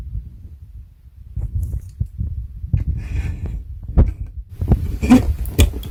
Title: Synology DS115 clicking sound defect Audio boosted